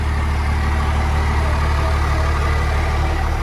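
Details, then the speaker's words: 1997 Dodge Ram 2500 12-valve Cummins diesel with Airdog, being jump-started on a nearly dry tank (five gallons added): deep steady diesel clatter at idle, even beat, no lope or hunting; normal idle. "i doing pretty good no lope or nothing"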